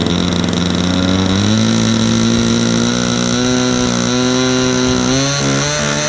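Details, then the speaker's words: A Super Tigre 90 glow engine in a Super Chipmunk gives a buzzy tone that wavers between revs without cleaning up crisply. The needle is set two clicks richer than its stored setting, so it is running a touch rich. "that's still two clicks richer than where it was set when i put it away"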